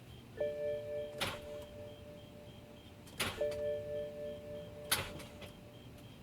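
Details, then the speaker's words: 2007 BMW 335i E92 manual, clutch down, start button pressed: single sharp clicks about every two seconds over a steady dash chime, lights dimming, no cranking, as if something locks it up; starter (replaced twice), ground cable, clutch switch, battery already replaced, cause unknown. "that's all that happens it's trying to turn over but it's like something's locking it up"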